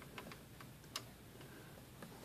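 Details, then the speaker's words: Smith-Corona Sterling typewriter escapement: light, uneven ticks with two much sharper clicks as the pawl sticks and snaps loudly; oversized or expanded rubber spacer impedes the pawl's movement. "if that's too big right there it will let me put something in here impede it from moving it will make a loud click loud or click"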